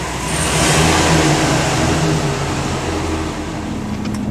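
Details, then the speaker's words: 2007 Chevy 2500HD after repairing a wire broken inside a connector (fault P1516, reduced engine power): steady even engine note, smooth throttle response, no stumbling or surging; reduced power code gone though check engine light stays on, normal running. "Uh our check engine light's going to stay on, but at least we're not uh displaying the uh reduced engine power code on there. We We good throttle response. The throttle pedal is responding to inputs."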